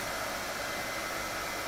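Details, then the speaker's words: Xbox 360 that previously had fans growing progressively louder after power-on, running about half an hour after repair: steady airy hiss with smooth disc drive whir, no surging; warm air out the back, console healthy under load. "so about a half hours past all I can really hear is the drive spinning"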